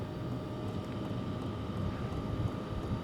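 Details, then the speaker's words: Sunster TB10 diesel heater cranked up to level eight: steady low fan rush with faint constant hum and no fuel pump ticking; blower running smoothly at high speed, normal. "I hear the fan starting to kick up a little bit more amazingly I don't hear the pump at all at this point this is crazy"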